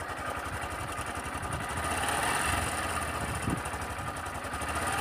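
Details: Sundiro Honda CBF125T small single motorcycle at idle, recorded by phone: light, fast clatter of about four ticks a second, from a timing chain rattle that does not affect riding.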